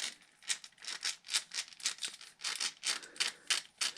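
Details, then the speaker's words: Losi LMT RC truck, factory differential turned by hand with driveshaft out, before axle upgrade: gritty, uneven rattling bursts about three a second; rough gear mesh. "Ooh, hear how rough that one sounds from the factory?"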